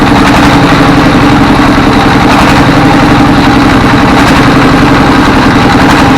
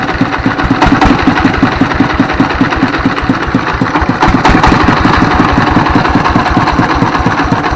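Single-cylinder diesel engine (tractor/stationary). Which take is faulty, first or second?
first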